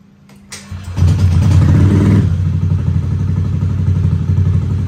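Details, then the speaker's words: Automatic scooter, bored-up engine with BRT Juken 5++ ECU, starting: short slightly strained crank (starter/ACG struggles against fairly high compression) catches quickly into steady, even idle with low regular beat; normal start. "udah normal sih kalau menurut gua cuman niat acg starternya agak kuat agak kurang kuat ngangkat aja sih karena kompresinya lumayan gede nih"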